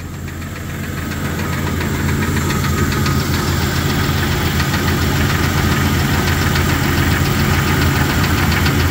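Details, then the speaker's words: Lifted Jeep Cherokee XJ petrol engine just started, idling: quick steady tapping; unsure whether lifter tap, rod knock or piston slap, worsened gradually over time so owner thinks not rod bearings; undetermined. "it's got a little tapping. Doesn't sound great. I'm not quite sure if it's tapping like a lifter tapping or a knock, like a rod knock, or a piston slap."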